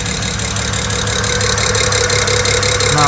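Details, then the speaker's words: BMW 335i with one injector deliberately unplugged while hunting a lifter-like tick traced to number 6: a lumpy, uneven idle with a steady quick injector tick over it. Runs on five cylinders, a deliberate misfire. "so there's what that injector unplugged obviously is running really bad"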